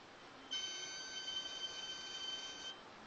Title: BMW 535 Chirping noise